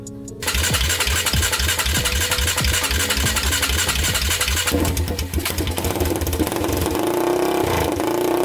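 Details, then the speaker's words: 1999 Honda 400EX quad, rebuilt engine with new piston, first start for break-in: single cylinder catches right away and settles into a fast even thump with throttle blips; runs strong, no smoke seen. "it seems to run really good"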